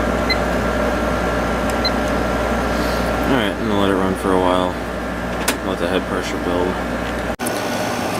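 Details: 6300 BTU Emerson Quiet Kool window air conditioner running on high, steady even fan rush with smooth compressor hum, no rattles or knocks; drawing about 4.95 amps, normal and more efficient.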